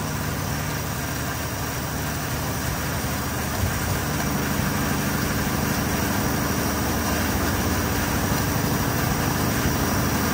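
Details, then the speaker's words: Car engine after fuel pressure regulator work holds a steady but fast idle with no dips or hunting; idle still slightly high, so the idle screw is turned down. "but let grab my screwdriver still sounds a little high let take this down a"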